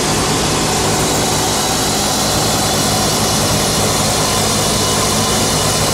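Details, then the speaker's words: Repaired flail mower on a tractor, revved up to cut grass: loud, steady roar at high revs with no knocks, misses or surging; running fine. "Tina's just getting my ear defenders because it's a little bit noisy. She's going to rev it up for us and then we'll cut some grass."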